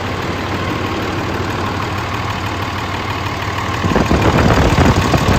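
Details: 2003 Dodge 3500 dually 5.9 Cummins just after short-block replacement (previous engine reportedly run out of oil): steady low idle rumble with even clatter that firms slightly midway; smooth, healthy.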